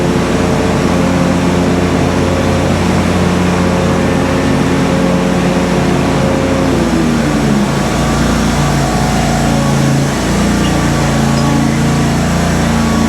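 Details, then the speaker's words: Kohler twin on a Simplicity Stallion zero-turn, after head gasket and carb work, now with a new muffler: steady, even drone easing slightly and settling, no popping or misfire; RPM maybe a hair low, slight whooshing noted, leak-down planned. "Does sound like the RPMs are maybe just a hair low, but other than that, it runs just great."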